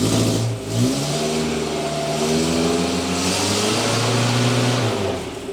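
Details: Datsun 120Y after fitting a replacement charging relay: engine catches, revs briefly and settles into a smooth, even run with no misses or knocks; charging then reads about 13.5–14 V, the bad relay was the fault.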